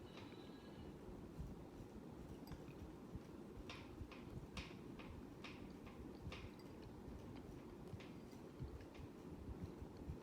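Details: Hampton Bay Huntington III ceiling fan: a quiet steady whir with sharp clicks roughly every half second, keeping pace with the blades. Rhythmic clicking.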